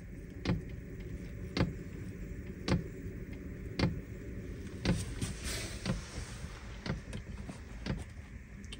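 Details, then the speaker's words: Diesel parking heater in a Peugeot Boxer L1H1 camper van, igniting at start-up with interior at 9.3°C: even clicks just under one per second over a low steady hum; normal heater start-up clicking before it runs at full power. "jetzt zündet die Heizung hört ihr das"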